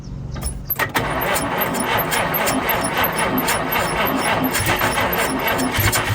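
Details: 1952 Chevrolet Bel Air 235 six, standing about 3 years, first start after fitting a new carburetor: a few seconds of cranking, then a steady, even idle with a regular beat; healthy start.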